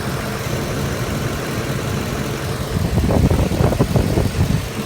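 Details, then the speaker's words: 2006 Ford F-150 idling at about 625 rpm, hot after 45 minutes of driving at about 109 degrees, visibly shaking; low, uneven lumpy idle growing heavier and shakier toward the end; rough idle, cause not pinned down. "Alright, so here it is idling. Sitting in at about 625 at idle."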